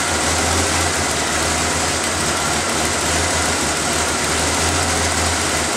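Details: After refitting the intake's vacuum lines, air filter and cover, the petrol engine is started to listen for hissing air leaks: steady, even idle with a smooth low hum and no hiss, ticking or stumble. It sounds healthy.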